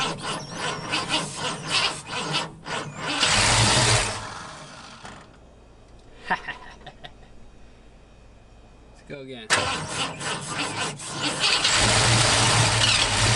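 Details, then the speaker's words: 1950 Ford F1 truck after years sitting in a barn: steady cranking chuffs, brief catch on sprayed starting fluid, then dies; ignition is only energized while cranking, likely the reason it won't keep running. "we could kind of spray and spray and then it wouldn't stay running now 99% sure that's the reason"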